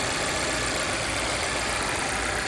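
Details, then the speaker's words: 2017 Volvo XC60 idling after fixing a vacuum/PCV leak that caused P0507 high idle RPM and P0171 lean bank 1, fuel trims now near zero: steady, even idle with no hunting, surging or stumble. "perfect, run like this."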